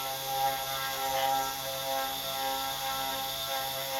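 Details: CNC 3018 router: stepper whine with steady tones and a faint ratcheting squeak as the X axis moves; the axis is shifting position, cause not found.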